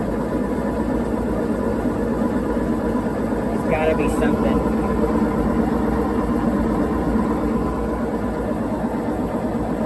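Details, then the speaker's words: Whirlpool WTW4815EW1 top-load washer with single-action agitator, intermediate rinse spin: constant heavy roar drowning out voices, no banging or knocking; owner suspects bad tub bearings, unconfirmed. "Yeah, they are right. That thing is very noisy during the spin cycle. But, that is an intermediate spin cycle as it rinses. But, yeah, you could barely even hear my voice over that thing. It sounds like it has bad bearings or something."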